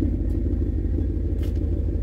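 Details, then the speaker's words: Boosted 408 LS V8, 9.3:1 compression, stage 2 cam (228/230 duration, .585 lift), third start, recorded outside with fuel pressure 43: deep, loud, lumpy, even rumble at a steady level; a clean, healthy idle. "so take the outside now so we can see what it sounds like so pretty good rumble there actually so that's good"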